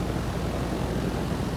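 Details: Lennox heat pump package unit after blower motor replacement, first start: smooth steady low whoosh of air with even hum, no squeal, rattle or bearing grind; blower normal.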